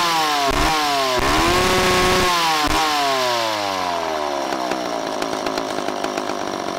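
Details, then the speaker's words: McCulloch 10-10 vintage two-stroke chainsaw, later model with electronic ignition, freshly revived: crisp burble at idle snapping up to a high, steady, clean scream at wide open throttle; normal idle and full throttle. "then you can get an idea of uh what one of these sounds like at idle and then what it sounds like fully you know blasted out i mean they're they they got a pretty cool sound about them"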